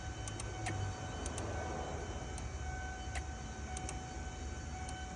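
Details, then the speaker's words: 1992 Ford Mustang GT Foxbody 5.0 V8, key turned to on before first start, bad fuse found; steady faint whine with thin high tone over hiss, electric fuel pump cycling/priming. "I can hear it cycling as I turn the key forward a little bit."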